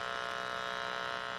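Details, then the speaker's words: Constant harsh electrical buzz, still bad with the Insignia TV's 3.5 mm cable plugged into the splitter shared with a SXM radio feeding an Insignia sound bar. The fix is to remove the third device and plug straight into the speaker. "so what happens is it don't sound so bad and got the oligo but once you take this plug here and then plug the one that's going to the TV it's still real bad here"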